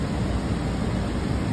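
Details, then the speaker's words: 2014 Chevy Express van front A/C, repaired so air now comes from the vents instead of only the defroster; steady even rush of air blowing dust out, no rattles, squeals or cycling; normal blower airflow after fix. "Yeah, now we've got air out the vents. Whoop. Blew some dust out of there."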